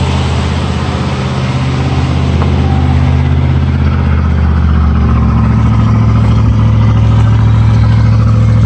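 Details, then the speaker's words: 1973 GMC motorhome with an Oldsmobile 455 V8, idling after a cold start following a few weeks of sitting: steady, deep beat that settles smoothly, with no misses or hiccups. Normal idle; no blue smoke, hardly an exhaust leak. "Not a miss, a hiccup. Sounds like $1 million. Yeah, I know Oldsmobiles, and that sounds fantastic."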